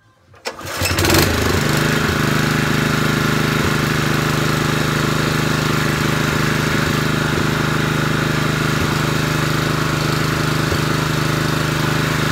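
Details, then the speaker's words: Honda GX160 5.5 kW generator after carburetor clean, main jet had been blocked, choke off: catches within a second of the pull, then a smooth, constant drone with no misses or surging; normal running. "there we go another simple job completed on richard's home mechanics that's now ready for work tomorrow"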